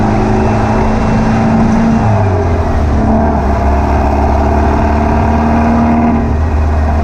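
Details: Air-cooled VW beach buggy after clearing a blocked idle jet in the driver's-side carburettor and rebalancing the carbs: a strong, even drone with clean pickup through the revs and no popping or stumbling. The misfire seems cured.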